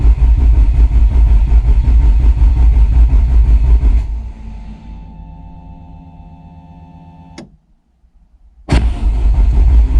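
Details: Rebuilt Peugeot 205 GTi Mi16, coil disconnected, cranked on a fly lead until the oil light goes off before first start: steady, even starter churning with no firing or odd knocks. It won't crank on the key.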